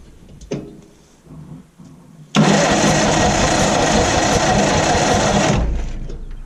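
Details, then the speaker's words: Old Massey Harris tractor, sat 4–5 years, after the distributor was refitted: the starter cranks at about three turns a second for 3 s with no firing. Still no spark; the owner suspects a bad ground or the condenser. "still have no sparky sparky i wonder if i'm just not getting the ground there because i got continuity going through or maybe the conden i don't know"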